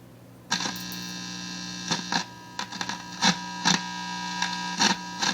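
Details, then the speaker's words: RCA 66X1 tube radio after capacitor replacement, all parts in circuit except the mica cap, with a 455 kHz signal injected: steady low hum with clicks and crackles but no station. The audio section is fixed, and the fault is thought to be in the radio stages. "so that's pretty good there I don't think we've got any Radio Action this thing just keeps on giving"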